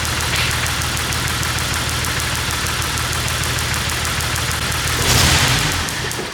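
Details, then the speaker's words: 1998 Jeep Wrangler 4.0L inline-six crank-no-start after stalling at a stoplight; long even cranking about four beats a second that never catches, brief rise as it stumbles; spark and injector signal always present. "All right, so we never lost spark or injector signal when it was cranking no start."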